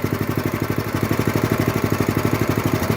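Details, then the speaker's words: 1966–1968 Bonanza BC-1200 mini-bike single-cylinder engine with new carburetor, fuel line, filter and spark plug, first start, idling on choke: quick steady putt about ten even beats a second, no misses; healthy idle. "okay looks idle pretty good although it is on choke"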